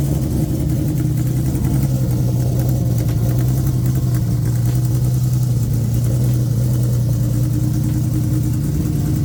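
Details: Loud project car on its wiring harness before a planned custom harness, during a final start: loud but even engine note with a steady low drone, no snapping or misfire; now running cleanly.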